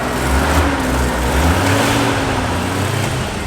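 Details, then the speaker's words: Mazda Cosmo rotary finally idling after fuel pump work, steady smooth idle with even low hum, not very smoky, sounding like a normal car rather than a rotary; faint tone change as the AC compressor kicks on. "Oh my God, it's idling. It's idling. Boys, it's idling. Woo! Look, it's not even that smoky right now. It sounds like a car. It doesn't sound like a rotary, which is hilarious."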